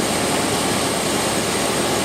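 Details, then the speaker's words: Ford with EEC IV ignition, after replacing distributor for #2 cylinder and intermittent misfire: steady even hum through a quick snap of the throttle, no misfire, smooth idle. "all right great no misfire at all uh next thing i'll show you is the hip and spout and coil current signals again you hear how nice and smooth this is running"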